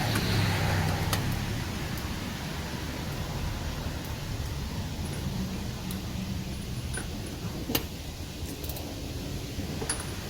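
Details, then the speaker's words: 1996 Sea-Doo GTX after engine rebuild, low fuel: steady cranking about four turns a second never catches; would only run a couple seconds on fuel poured in, because fuel selector was off; no start due to fuel selector off. "owing fuel down it and it did crank up but it would only run for just a couple of seconds and shut off it did that about I don't know four or five times before I realized that my fuel selector was off"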